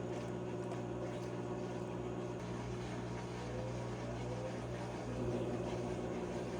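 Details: Whirlpool/Maytag commercial top-load washer MVWP576KJ/1 after agitator repair for grinding, not washing or spinning: drain and spin with steady motor hum and light even whir, no grinding or knocking; normal.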